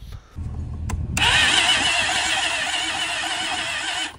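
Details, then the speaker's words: 2007 Polaris Sportsman ATV with a non-functional recoil and a disconnected fuel line cranks very slowly on a jump box for about three seconds without catching; the engine drags internally, pointing to internal engine damage. "Now, I got a little worried when I was checking it out because it didn't want to turn over with the starter at first either. It does turn over. It turns over very slowly with my jump box on it."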